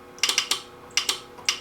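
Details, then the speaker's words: Music & Sound N350 intercom master station, reportedly lightning-damaged, powered through its transformer with no display or radio sound: sharp paired relay clicks as the door, talk and listen buttons are pressed, clean and consistent, so the relays switch normally. "you can hear a relay click we do talk and listen another relay clicks so that's good"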